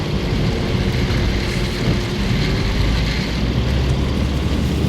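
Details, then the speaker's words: 2011 Acura MDX after replacing the front driver's-side CV axle assembly (it had clicked on every turn), test drive with sharp left turn and full loop: steady road and tyre rumble, no clicking; CV joint sounds healthy. "That was a nice sharp left turn. We just did a full loop there and no noise at all."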